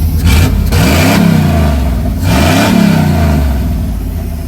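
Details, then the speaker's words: OBS Chevy short-bed truck with a 350 V8, run after sitting about six months, on a hot day: deep V8 rumble swings up and back down twice with throttle, smooth with no knocks or rattles; healthy rev. "Listen to her, dude. It's been like, I'd say what, six months? 6 months at least, bro. Give her some gas."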